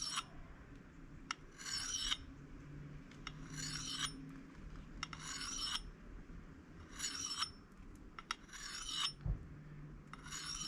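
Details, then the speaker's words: Axe honed with very light pressure: rhythmic rasping strokes about one every two seconds, gritty scrape each pass; steady, normal honing grind. "So I'll just start nice and gentle and just, and you can hear that's making a good solid grinding noise."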